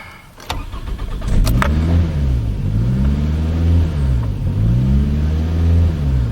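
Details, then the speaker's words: 2005 Toyota Camry with rough idle, after throttle body work and a 30-second battery disconnect to recalibrate: engine note rises and falls in slow waves every couple of seconds. Still surging; owner suspects it doesn't know the throttle position. "it oh she's still surging it's like now it doesn't know where the throttle positioning sensor is or you know whatever it's doing"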